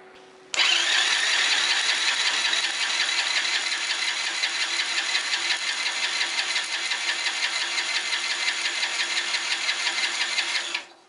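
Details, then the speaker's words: 1982 Honda Passport C70 motorcycle, previously stuck engine, left in a back yard: electric starter cranking during a compression test with a harsh, high buzzing whir and fast uneven chatter; starter sounds rough but works, compression about 140 PSI. "now the starter don't sound great but it does work"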